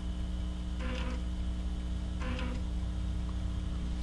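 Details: Amiga floppy drive with a corrupt save disk: two short buzzing bursts of head seeking over steady drive hum, retrying and failing; disk unreadable, structure corrupt, use Disk Doctor. Read/write error.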